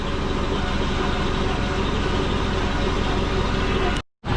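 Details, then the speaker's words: Warm turbocharged Subaru Forester idling after the low-mount exhaust and wastegate seals were fixed and a new O2 bung fitted: a steady, even low rumble with no puffing or ticking. No exhaust leak seems to be audible anymore and it smells oily; normal idle. "doesn't sound like there's an exhaust leak anymore just smells oily and degreasery"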